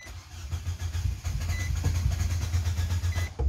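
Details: Nissan Sentra 2.0 with GNV (CNG) kit, restart after shutdown on liquid fuel: starter churns about four pulses a second for several seconds without catching; extended crank, hard start, fuel pump ruled out, starts on GNV.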